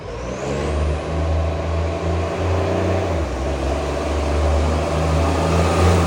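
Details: Canada Bay garbage truck SL780, Euro 3-style Euro 5 facelift diesel: loud raspy drone with puffing chuff rising and falling with revs; exhaust pipe leak making it much louder; later fixed.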